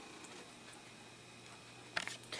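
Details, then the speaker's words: IBM IntelliStation E Pro PC starting up with a boot-manager floppy inserted: quiet hum, then a short burst of quick mechanical clicks and chatter as the floppy drive heads seek; normal healthy floppy seek. "I love that floppy seek noise that was probably one of my favorite things of the uh old school Computing days"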